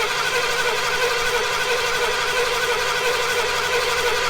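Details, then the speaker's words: Long-abandoned car once owned by Lawrence Welk, fed fuel from a can by a cheap universal electric pump giving 3-5 psi where up to 15 is required, dash shows service and coolant temp lights: steady cranking about 88 a minute, never fires; injectors not firing. "Okay. The injectors are not firing at all."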